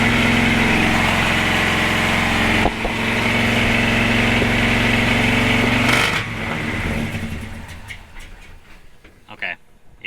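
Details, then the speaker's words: 1976 Chevrolet C30 dually 454 after Holley Sniper EFI and HyperSpark install, not yet learning: engine catches and runs very loud and rough at a fast, steady beat, then sputters and dies after about six seconds. "like that that was very loud too"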